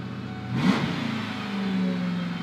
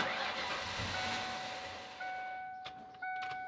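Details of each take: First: 1996 Ford Mustang GT convertible, first start after fuel filter replacement, fuse and battery reconnected: engine catches and flares in a quick rev, then settles to steady even idle; normal start and rev. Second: 1996 Ford Mustang GT convertible, fuel pump fuse pulled before fuel filter change to bleed line pressure: running engine fades over about two seconds and dies, leaving chimes and clicks; engine stall from fuel starvation.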